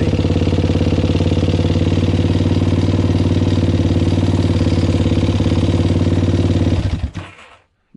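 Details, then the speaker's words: Suzuki LTZ400 single-cylinder after a valve clearance adjustment, choked and just started: fast, steady idle with a constant light clatter each beat, valvetrain still noisy; owner thinks it may need warming up. "rather noisy ain't it i think that's still sort of noisy you guys"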